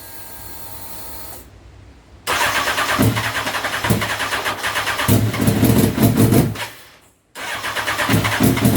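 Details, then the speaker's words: Turbocharged Honda CBR929RR SC44, first start attempt with fuel map pulled to zero fuel, adding fuel incrementally: starter churns in uneven bursts with a few coughs but never catches; cranks but won't start, lean fuel map. "so the plan is at the minute we've pulled a hundred percent of the fuel out on the field mark don't crank it and see what it does and then we'll keep incrementally adding fuel onto it till it starts"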